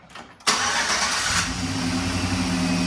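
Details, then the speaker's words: 2011 GMC Sierra, about 180–190,000 km, after new NGK spark plugs and wires and several stop-starts: quick crank, catches right away, steady even idle; normal start, check engine light now off, owner thinks the computer relearned. "Ooh, it's sounding better. I think maybe the computer just needed to figure something out."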